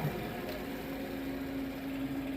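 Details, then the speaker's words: Refrigerator in a rental, reinstalled and plugged in after fan work: condenser fan makes its normal quiet, steady low hum with a light rattle, no wobble, ticking or scraping; acceptable, normal condenser fan running. "Plugged in, a little mess everywhere. That's the noise it's supposed to make. This. Light rattle. Not bad."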